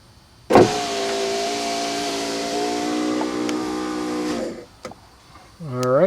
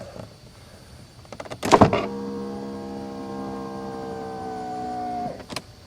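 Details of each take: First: 1991 Mercedes-Benz 420 SEL right rear power window, motor bench-powered from a battery after repair, rolling the window up: a steady, even hum with no grinding, clicking or strain. Normal, quiet power window operation. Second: 1991 Mercedes-Benz 420 SEL, right rear power window: a smooth motor hum for about three seconds with a clean stop; the motor and regulator work normally, but the glass moves only a few millimetres and is not following the regulator.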